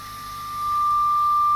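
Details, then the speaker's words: Hand-wired Vox AC15 HW valve amp with nothing plugged in, after power supply repair and preamp tube swaps for microphonic tubes: steady piercing high-pitched squeal, a preamp tube oscillating by itself; vintage substitute tubes also no good. "is nothing plugged in that's just that it's just a tube oscillating within itself that's disappointing"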